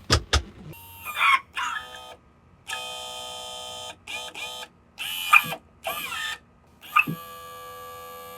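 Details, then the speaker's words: Outboard tilt/trim pump on a corroded, repaired boat engine, bumped during refill with ATF: short bursts of uneven straining electric whine because it's low on fluid and needs bleeding. "I know it doesn't sound good right now. That's because it needs fluid."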